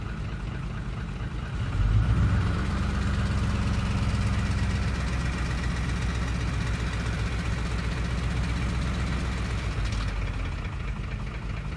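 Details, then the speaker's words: 2004 Ford F-150 5.4L 3-valve V8 in gear with light throttle: busy uneven rattling knock from cam phaser oscillation as VCT engages (~40% duty, about 900 rpm); noise stops off throttle; weak return spring can also cause it. "okay so we're in park right now we have our phaser knock and we're going to put it into five now we're going to give it a little bit of gas to actuate to greet the people annoyed and get that phaser unlocked"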